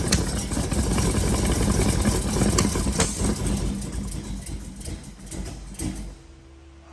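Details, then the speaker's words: 1932 Ford roadster, built 383 roller V8 (525 hp), on new EMPI IDF 8-stack carbs and Pierce intake, first start: loud lumpy low idle stumbling and fading. Ignition timing off, distributor to be moved one spot, carbs still need synchronizing. "we're going to have to adjust the time it again so I think we need to move them one spot around"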